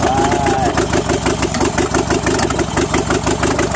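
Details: Engine with points-type ignition randomly missing sparks to the plugs: uneven idle with beats dropping out, rhythm stumbling; intermittent misfire, owner suspects the condenser, not confirmed.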